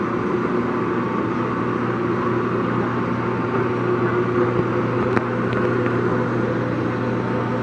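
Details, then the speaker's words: Longem LG26120C 26" x 120" gap bed lathe, ran only one job: smooth, even mid-tone hum, no knocks or grinding; spindle sounds great, normal running. "Scoot off to one side or another. There we go. The spindle sounds great."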